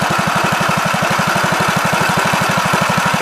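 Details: 1969 Gravely C8 walk-behind tractor, single-cylinder engine at steady idle in the morning after repairing its no-high-range fault (worn ring found): quick, even put-put, every beat alike, no knock; runs healthy.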